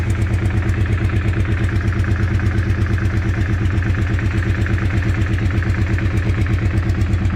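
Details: Weird engine sound at idle: a steady, even pulsing clatter of roughly 170 beats a minute over a deep low rumble, cause unclear.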